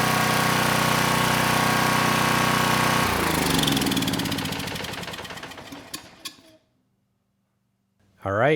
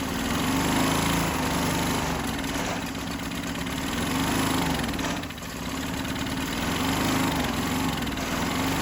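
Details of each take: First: Sears Craftsman 2500 W generator (model 580.327120), Tecumseh OHH60 overhead-valve engine: starts first pull and runs even and smooth with no misses or knocks, then shuts off and spins down cleanly; carburetor working well, no-load speed slightly slow. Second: Sears Craftsman 2500 W generator (model 580.327120), Tecumseh OHH60 overhead-valve engine (Craftsman 143.9860033), steady single-cylinder running with slow speed rise and fall and a soft uneven beat; no compression felt on the pull rope, tests about 30 PSI, bogs under load; low compression, valves suspected.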